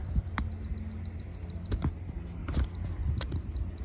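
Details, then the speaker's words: The awning wind-speed sensor on a Prevost H3-45 RV, after its screws were backed off to bring the reed switch closer to the magnets, gives a light, high tick about seven times a second as the cups spin. Normal reed switch clicking. "you can hear the little switch going off in there and i'll hook this back up and show you that it works now so i got her hooked up and if i the wind speed goes fast enough that little tapping noise brings my awning in"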